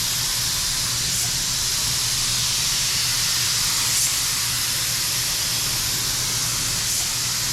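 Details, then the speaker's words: DeVilbiss FLG4 paint gun spraying a coat after suspected clog dissolved: steady, even hiss of air and paint with no sputtering or spitting. Normal spraying. "Hey, it's not spitting. No more spitting. I think it's dissolved whatever the clog was."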